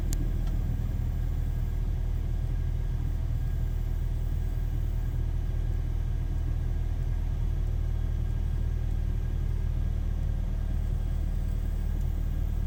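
Cold idle with a deep, uneven rumble that wavers instead of settling; the engine isn't running smoothly, possibly from a metering problem.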